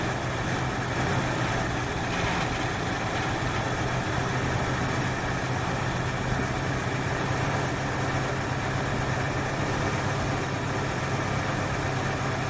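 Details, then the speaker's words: 1968 Ford Fairlane with a flooding carb: steady low idle, slightly uneven and faintly lumpy but fairly smooth; ran way rich for too long from a line hooked up backwards to the exhaust manifold. "this is the end that should have gone into the exhaust manifold so she's got a mess or two from running way rich for way too long"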